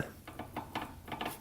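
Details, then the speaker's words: 1985 Honda ATC 200X in fourth gear: quick bursts of rattly clicks several times a second as the gear tries to grab but never engages, acting like neutral while fifth engages fine; owner suspects stripped transmission gears, cases to be split. "we're in fourth gear right now you can hear it kind of it's trying to grab but it's just not doing it it's almost like the gears in there just like stripped out"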